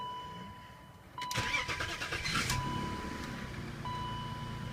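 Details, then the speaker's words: 2000 BMW 528i E39 after replacing the cylinder 2 ignition coil (cylinder 2 misfire, P0340 code), on a 60-degree January day: chime, quick clean crank and catch, steady even idle with no misfire; check engine light still on. "yeah I guess I fixed it let's let it run a second"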